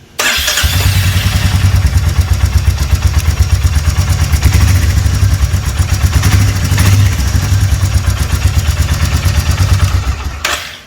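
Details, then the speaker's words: Royal Enfield Meteor 350 at idle: steady, even single-cylinder thump with no ticking or tapping from the engine, unlike tapping reported on other owners' bikes; normal idle. "भी tapping sound नहीं है, लेकिन कई आदमी का tapping sound आता है।"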